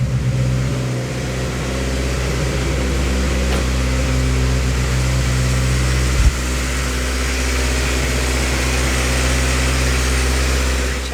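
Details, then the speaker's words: Honda Civic D16 SOHC turbo with locked VTEC, first start after valve adjustment: fast, uneven top-end chatter at cold idle; two rocker adjusters had backed almost completely off; valve clatter from loose rocker adjusters. "I had two that were had backs almost completely off so that's why the valve noise was so nasty when it fired up"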